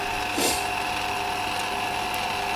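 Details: CDE/HyGain Ham2-4 antenna rotator just serviced (strip cleaned, glass bead blasted, motor start capacitor moved into rotator, automatic 3-second brake): steady, even motor hum at one pitch, no grinding, clicking or catching; healthy drive.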